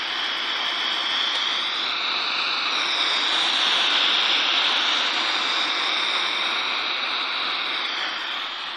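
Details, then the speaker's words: Chinese-brand TV chassis tested with no antenna: speaker gives only a steady, even hiss with no program sound; picture dominated by yellow/red, fault attributed to an IC on the board; resoldering didn't help. "jadi suaranya desis gambar ini saya tanpa menggunakan antena ya"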